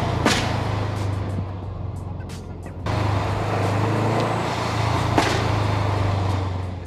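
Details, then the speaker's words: 2008 Subaru Legacy GT with Cobb downpipe, SPT catback and newly installed GFB hybrid blow-off valve, lifting off from about 3,500 rpm: engine note drops with sharp cracks and pops; overrun popping, owner suspects BOV making it run rich, absent before install. "And I'm pretty sure that the blow-off valve is making the car run rich, therefore it pops, because it wasn't doing it before, now it's doing it."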